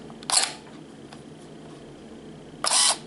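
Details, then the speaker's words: Canon EOS Rebel S 35mm film SLR body in bulb mode under manual control: one sharp click opens the shutter, the mirror stays up during a quiet hold of about two seconds while the button is held, then a second click on release; bulb works properly. "as long as you keep the shutter button pressed the mirror will stay up, that is, it will be clear so that it can capture the image and until you release it it closes"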